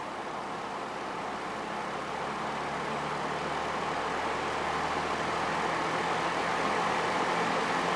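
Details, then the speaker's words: Early-1950s Westinghouse box fan with previously weld-repaired blades, running on low: steady, even airy whoosh, no ticking, rubbing or rattle; fan runs smoothly. "You'll notice it doesn't produce much noise at"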